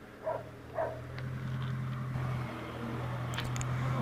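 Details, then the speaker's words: Motorhome engine at near standstill holding a steady, noisy drone well above normal idle. The idle randomly rises high on its own, as if compensating for something. The cause is unknown, and the noise was linked to later problems. "Fijaros en el sonido del motor. El ralentí estaba muy alto, prácticamente en parado, hacía mucho ruido. Y ese ruido era clave para los problemas que llegaron después."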